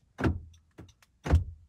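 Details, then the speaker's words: 2018 Honda CR-V, driver's front door lock actuator, tested while the passenger front one fails: two firm, crisp clunks about a second apart as the lock throws and releases, no buzzing or straining; works normally. "This is the driver's side. It works."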